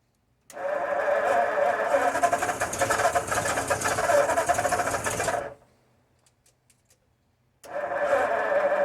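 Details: 1952 Ford F-1, first start in 28 years, with rebuilt carb, PerTronix ignition, and new plugs, wires, cap and rotor: the starter churns the engine over in bursts but it never catches. Cranking no-start caused by no gasoline.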